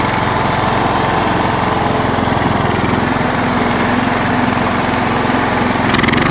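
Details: John Deere LX172 single-cylinder mower engine with the carb fuel solenoid hot-wired to the battery: runs at a steady, fairly even pace with no stalling or surging.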